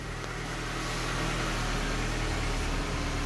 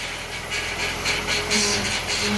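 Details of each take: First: 1998–2002 Honda Accord 4-cylinder at idle after power steering pump replacement, fluid topped up and check engine light cleared: smooth, steady idle with a low even hum and no whine. The new pump runs quiet. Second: 1998 Honda Accord EX 4-cylinder idling with a steady whine over heavy hiss. The power steering fluid level is full, so the power steering pump is bad and is being replaced.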